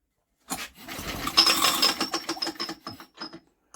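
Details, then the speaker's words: Old BSA 50cc engine, unused for years, spun over by hand while still lacking spark: irregular scraping rattle in quick bursts, owner suspects the recoil or flywheel. "oh well that rattling's in that recoil or something in that flywheel would have disrupted"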